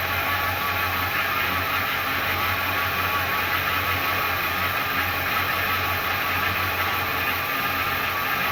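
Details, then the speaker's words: 1977 Ford Fairmont XC GXL, revived after over 12 years stored in a shipping container, running on temporary fuel feed before tank hookup; steady, even engine note with smooth low hum, no knocks or misses. Accelerator pump possibly leaking slightly, not confirmed; otherwise running properly. "all right I think I think we're on a winner the accelerator pump might be leaking a little bit I'm not 100% sure so I'll have to keep an eye on that but the rest of it seems like it's actually working for once"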